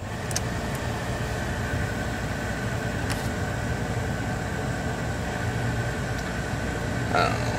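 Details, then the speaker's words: 1983 Chevy C30 Squarebody after bolting in an upgraded Murray blower motor, engine idling: steady airy rush and faint constant whir, no rubbing or squeal; may blow slightly better than before. "might blow a little better maybe I don't think that's a super big upgrade but certainly blows better than when the fan wheels off"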